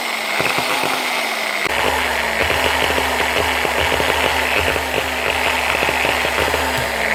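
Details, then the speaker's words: Older Bosch GWS9-115 non-speed-control angle grinder packed with fiberglass: it won't start or splutters and jumps, the motor whirring unevenly with crackling bursts and sagging pitch from stuck motor brushes; cleaning the brushes and holders fixed it. "might just be sticking brushes yeah arm doesn't look too bad yeah brushes are stuck"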